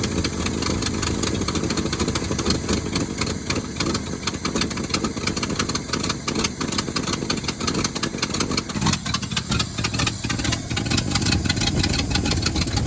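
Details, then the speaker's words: 1971 Ford Highboy boom truck V8 after a cold start at about -2°F using a 950 cold-cranking-amp battery. Rough, low burble settling into a steady, lumpy idle without stumbling; normal idle. "amazing what a good battery will do she's even sitting there idling already"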